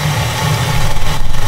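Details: Rinnai tankless water heater on Hugo-X1 battery backup during a simulated power failure (breaker off), relief valve popped: steady low roar with soft pulsing flutter as burner lights and fan runs; heater firing normally on battery.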